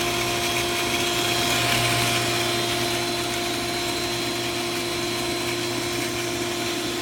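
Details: Commercial pool pump: steady hum with faint constant whine and gritty hiss while running; a bearing or shaft seal starting to go, with water shooting out of the lid from pressure when the pump turns off. Cause suspected, not confirmed.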